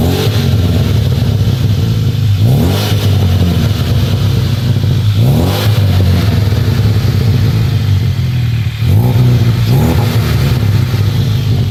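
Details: Car with custom 3-inch downpipe revved through several quick blips, loud deep exhaust with a raw puffing rasp from a huge exhaust leak.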